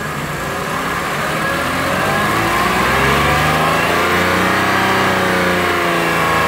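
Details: Warm Lexus RX330 with 3MZ-FE V6, revved through about 1,000-3,000 rpm; rapid regular tapping that follows engine speed, owner unsure of cause, asks if piston knock.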